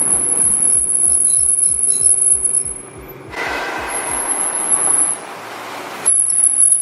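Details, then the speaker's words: 2014 Nissan GT-R R35 on its original high-heat performance brake pads, recorded two years earlier; a piercing squeal rises and falls with each brake application when slowing around town. "around town they are incredibly squeaky noisy loud they squeal so bad it is the worst sounding thing i've ever heard"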